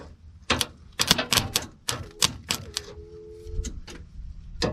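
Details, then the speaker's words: 1991 Ford F-150, key on, fuel pump heard; quick uneven sharp clicks and a chime but no cranking, starter trying to engage; battery charged overnight, owner suspects ignition switch or battery, later says battery sounds dead. "I hear the starter trying to engage. Huh. Back to the drawing board, I guess."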